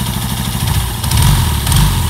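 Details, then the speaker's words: Yamaha Jupiter Z1 (Vega Force) with knocking complaint, oil not reaching cylinder head: rough, uneven idle with fast ticking over low thump, won't hold idle; rough ticking at idle, oil starvation suspected. "ada suara ngelitik [Musik] motor nggak bisa langsam"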